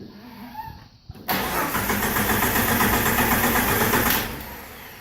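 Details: TJ 4.0 no-start: the starter churns steadily at about four beats a second for several seconds, then stops; the engine turns over but never catches.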